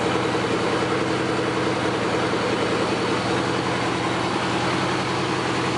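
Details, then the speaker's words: Suzuki GS850, warmed up after pilot-screw adjustment and carb synchronizing: smooth regular idle just above 1000 rpm, no hunting or misses, little lifter noise; normal idle. "idle in just above a [Music] th000 sounds really good I hardly hear any kind of lifter noise or anything out of t"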